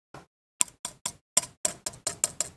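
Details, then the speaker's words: Eleven sharp, tinny taps, each trailing a brief dry rattle from loose pieces inside a relay on the circuit board of a motorised projector screen controller. "you can see the rattling inside of the release"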